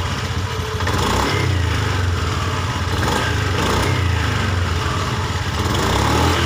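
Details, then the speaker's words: Honda Beat eSP scooter, after replacing a faulty part, clearing fault codes and ECM reset: catches and runs with an even steady beat, picking up cleanly on throttle with no stumbling or popping; normal revving. "kita hidupkan motor enak kemudian kita sudah responsif enggak kayak yang awalny"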